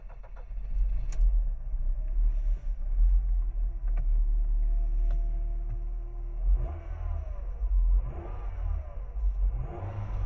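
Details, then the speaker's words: Engine owner suspects has a blown head gasket, hard to start with white smoke from the tailpipe, before DIY sodium silicate repair: deep low rumble with an uneven start, then a few rising revs, slow to settle; hard starting, cause not confirmed. "I think I have a blown head gasket because it's very hard to start and there is uh uh white smoke coming from the tail pipe so let me start"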